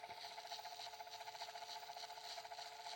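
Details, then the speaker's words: Nearly new, barely used Ridgid subcompact drill driver: faint steady motor whine with a gritty, rasping grind and soft regular pulses underneath; owner suspects the back bearing, not confirmed. "yeah, I don't know. It's making just like this grinding noise. It makes a grinding noise and possibly this back bearing"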